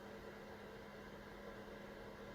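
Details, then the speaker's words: Chinese power inverter, apparently 48 V, turned on: steady low electrical hum with faint buzz, then it dies shortly after power-on; cause of the shutdown unclear. "nothing better is dead it's not the machine is a problem I just turn it on and then you just die"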